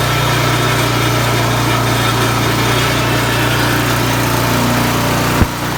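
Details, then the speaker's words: Craftsman snowblower after bent impeller repair and reassembly: steady even drone, no rubbing or clanking from the auger housing; normal running. "so i've got everything back together i'm just going to start it up and test it out and see if that noise is gone so it looks like that's working fine i'm gonna continue on moving snow today"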